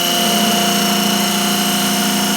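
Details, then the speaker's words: Wood lathe turning an ash/maple segmented bowl with an epoxy resin groove, Simple 90 carbide detailer, slowed to about 1750 rpm after chipping out: steady high singing tone over an even hiss, no chatter. Clean cut at the correct speed. "It's cutting just beautifully now. Of course, whenever you deal with resin, you have to go slower than you would if it was just wood. Because resin actually melts at high speed."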